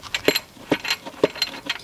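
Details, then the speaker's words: Engine off, with the timing belt idler pulley worked by hand during engine removal: loose, irregular metallic rattles and clunks. The idler bearing is completely shredded and has holed the timing cover, which led to the cylinder heads needing replacement. "yeah that's supposed to be a bearing um for the uh timing belt uh idler so that is completely shredded and there's a giant hole in the timing cover"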